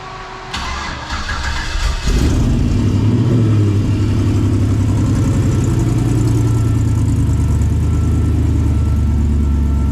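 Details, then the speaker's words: 1954 Chevy Bel Air with an LS V8 swap, new wiring harness, gas tank and radiator, first cold start of the morning: a brief crank, quick catch, then a steady, even idle with no knocks or misses; healthy. "so let's fire this thing up and um it was a cold start I haven't started it yet this morning"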